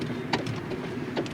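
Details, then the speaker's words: 2011 Hyundai Elantra rocked side to side: two dull clunks about a second apart from worn front sway bar end links; noise only on uneven bumps hitting one front wheel, not both. "And it only happens on bumps that are uneven, so if both front wheels hit the bump at the same time, it won't make the noise. You have to hit it, it has to be one wheel or the other."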